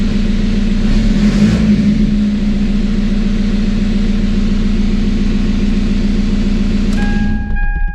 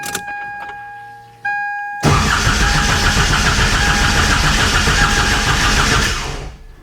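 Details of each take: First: TDI diesel swapped into Toyota Tacoma, first start after engine and wiring work, no coolant in it: diesel settles into steady even idle with firm low hum, no knocks or misses; sounds healthy. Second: TDI diesel swapped into Toyota Tacoma, cranking to build oil pressure before first start: starter cranks about 220 compressions a minute without firing, then sags and dies; starter pulling excessive current, around 200 amps.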